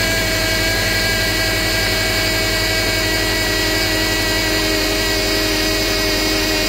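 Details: 2009 Subaru Outback idling, first start after steering rack replacement with fresh fluid and the system bled: steady loud whine that never settles; the power steering pump is believed bad, staying loud even after bleeding.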